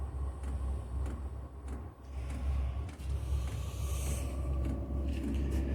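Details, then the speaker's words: 5 kW diesel heater on workshop cart, just after priming and starting, smoking: soft slow pump ticks about one and a half per second over a low rumble as the burner comes to life; normal start-up. "Oh, it just sounds like she's coming to life. That's the pump clicking away."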